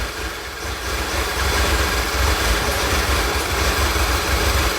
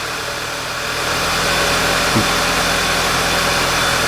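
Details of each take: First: 2011 VW Tiguan, P0300 history, many parts replaced, open loop, fuel rail 580 psi: uneven stumbling low idle with irregular dips; misfiring on all 4 cylinders, acting like it's running lean. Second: 2011 VW Tiguan after replacing crankcase breather valve: even, settled idle with steady low pulse and no stumbles; idle quality now good.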